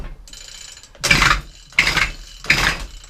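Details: Efco strimmer two-stroke, running lean, plug cleaned, poor priming: three rough, rasping pull-starts about a second apart with no firing, metal scraping inside.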